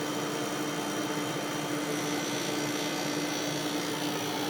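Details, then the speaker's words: Haier dehumidifier fan running: steady even whoosh with a faint constant hum, no rattles or scraping. Refrigerant is heard going through the lines and it seems to have a full or somewhat full charge; running normally. "That fan is kind of cool. I'm not sure if you could hear that, but I can hear refrigerant going through the lines. It definitely has a full charge, or somewhat of a full charge."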